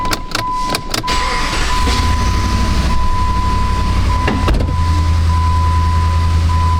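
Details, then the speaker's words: 2006/2007 Jeep Grand Cherokee 4.7 V8, idling in gear with flashing engine light: lumpy uneven low thump about three times a second, hood shaking, heard in exhaust; one cylinder dead from dislodged exhaust valve rocker, not coils, plugs or injector. "Perhaps you can hear it, but it's shaking pretty good. I mean, I don't know if you can see the hood tremoring or not. Probably not. But it definitely feels like a misfire. Hear it in the exhaust too"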